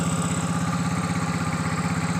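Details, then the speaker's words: Yamaha Mio 115 scooter after new cylinder block, piston and rings (broken top ring had scored the block): even, steady idle putter with clean regular firing, no knocks or scraping. Normal idle. "Ini kita coba starter dan bunyi dengan normal. Frekuensi sudah bagus, blok bagus, semua sehat ini."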